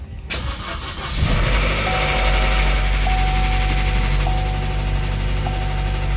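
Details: 2012 Chevrolet Cruze 1.4L turbo, first start after head gasket repair: fast, light ticking over the idle from lifters not soaked in oil before reinstalling, plus slow-to-oil timing chain; expected to fade after minutes or heat cycles.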